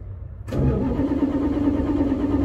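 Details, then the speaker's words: Plymouth Fury that sat for five years, cranked with choke overridden: starter spins the engine at a steady even churn but it never catches; spark present, sounded like fuel starvation though more fuel was added. "come on we clearly have sparked because it's tried to pop off is it flooded or is it out of gas that's the question it almost sounded like a fuel starvation to me but then we put more fuel in"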